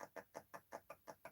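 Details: Arrma Big Rock RC truck: a worn bearing spun by hand gives quick regular scratchy chirps, about five a second, rough and squeaky rather than smooth, during gear-eating test hits.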